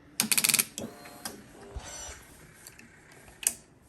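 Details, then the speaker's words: Wrecked 2006 Yamaha R1 with a 2005 R1 fuel tank rigged on, fuses checked and fuel pump priming: a quick chatter of clicks without cranking; starter clicks, no start, cause unconfirmed (a known-good battery is tried next). "Alright, so I've checked everything. Fuses, fuel pump seems to be priming. It's just clicking."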